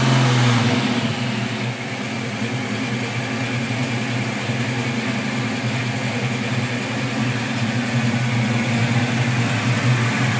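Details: 1987 Ford Mustang V8 with BBK equal-length shorty headers and no cats, after fixing the exhaust leak by notching the crossmember and seating the header flanges: even, steady idle burble with no ticking or puffing. PCV vacuum leak still present.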